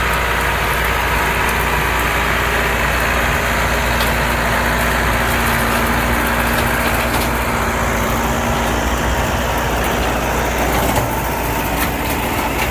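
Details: Allis Chalmers 6080 tractor diesel on its first job after an overhaul. A steady, even drone holds constant speed under mowing load with no knocks or misses: normal running under load. Fuel use is low and the front wheel assist works.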